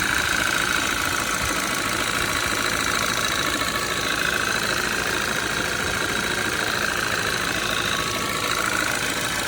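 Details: 2013 Audi 2.0 TFSI gen2, Revo Stage 1, 150,000 km, cold start, engine cover removed; fast light ticking knock about three per second over busy clattery cold idle; owner suspects piston pin but unsure, source unconfirmed.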